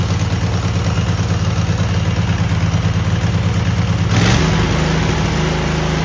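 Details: Cub Cadet garden tractor twin with new spark plugs and an uncleaned carburetor, choke frozen; has a gas leak. An even, steady beat at fast idle that picks up cleanly near the end, no misfires or knocks: a smooth motor.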